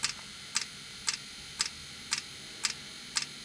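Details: 2016 Mercedes Sprinter van (2.1 L four-cylinder diesel) diesel-fired block heater starting up; heater fuel/dosing pump clicks sharply about twice a second, perfectly regular; heater sometimes smokes on startup; normal dosing pump ticking.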